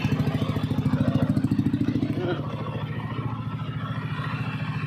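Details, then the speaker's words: Yamaha NMAX v1 scooter after replacing the camshaft bearing, which had caused knocking and a helicopter-like noise: even, steady putter about three and a half beats a second, no knocking or chain rattle; clean healthy idle. "Wala na po yung ah kalaksing niya diyan at yung ah tunog helicopter na wala na. Ayan oh. Napakagandang andar na. Wala na yung kumakatok-katok."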